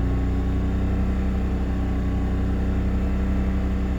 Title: BMW Z3 2.2i M54 misfire emissions check